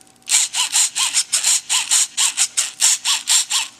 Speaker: a throttle servo definitely sounds like it's on its last leg so i'm gonna begin looking for another one for him